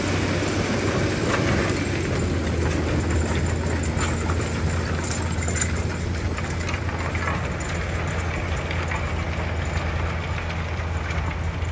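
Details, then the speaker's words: Tractor pulling a Simba Solo cultivator through stony ground over limestone, only about seven inches of soil, ahead of direct drilling into cover crop; steady low drone under load with rough, uneven rumble from the legs in stone, normal cultivating. "you can just see the legs actually are in the stone um you've got soothing vibration I can just hear them here you just see the coverage down the Limestone side there's quite a lot of stone here there's only about probably seven inches of soil in this field before we hit Limestone"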